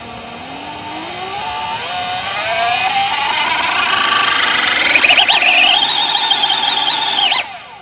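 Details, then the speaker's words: 72V custom Voloci e-bike, Boma MY1020 motor on Votol EM100 controller, no flux weakening; whine climbs smoothly, then near top speed rpm jumps and wavers sporadically; owner suspects faulty hall sensors, cause unconfirmed. "and the rpm goes crazy sporadic and it's all over the place so i'm not really sure what's going on with this motor"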